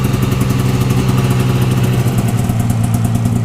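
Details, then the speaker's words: 1992 Yamaha Venture XL VT480 snowmobile two-stroke, cold start after a week sitting, with choke and a little throttle, after new spark plugs and carburetor adjustment; steady crisp idle, even rapid pulse, no misses or rattles; normal idle. "so i'm going to start it up this is a cold start i haven't started it in about a week so i'm gonna give it a little choke here a little throttle"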